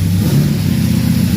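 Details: 1974 Chevy Caprice V8 from an engine build, first fired up at the machine shop after fitting an aftermarket high-power starter; strong, even rumble holding steady revs with no knocks, ticks or misses, a healthy fresh engine running normally.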